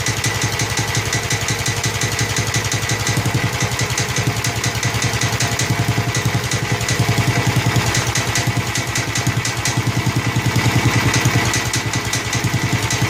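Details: Snapper Hi-Vac commercial mower with Robin/Wisconsin engine, running after carburetor fiddling: steady, even beat around three firings a second, no misses or knocks; motor sounds good, though carburetor leaks and needs a kit.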